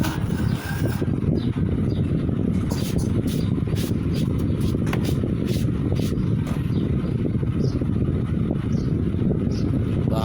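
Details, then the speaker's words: AC/DC rechargeable table charger fan after its power supply circuit board was replaced (it had no power), running on mains with charging light on: steady, even low whooshing rumble with no knocks, rattles or pitch changes; runs normally. "তো এখন আমরা যদি এখন কিন্তু আমাদের পাখাটা চলতেছে। তো আমরা পাখাটা 1-2 মিনিট চালাবো।"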